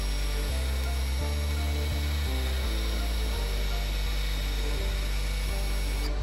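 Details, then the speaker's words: Land Rover Discovery Sport electric park brake, ignition on, diagnostic tool retracting to service position for pad replacement: low motor drone in steady steps shifting pitch each second; motors running normally. "The ignition's already on. Right, so we can hear the motors working."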